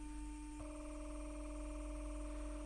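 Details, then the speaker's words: Panasonic Cobra RX DT-75/DT-95 speaker after surround replacement, 300 Hz tone with 20 Hz added for large cone travel: steady mid tone turns rough and buzzy; distortion because the voice coil leaves the magnetic gap even at moderate excursion. "тобто при такому ході динаміка можна сказати не дуже великому вже починається спотворення це зв'язано з тим що даже при такому ході котушка починає виходити з магнітного поля"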